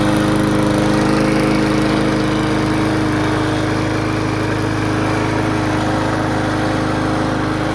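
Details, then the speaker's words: Abandoned Briggs & Stratton mower bought cheap, after about 10 minutes running outside and a clean-up. A steady, even single-cylinder beat with no misses or surging; normal running. "well it's outside been running for about 10 minutes just cleaned it up running a little smoother"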